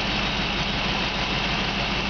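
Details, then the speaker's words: 1997 GMC XT55 forestry bucket truck V8, heard close at the open hood, clean oil, no blow-by, recent maintenance: a steady, even idle with a smooth low rumble, firing on all 8 cylinders. Normal idle. "I'm going to come up close you can hear this motor just Purge very nice it's hitting on all 8 cylinders like it's supposed to"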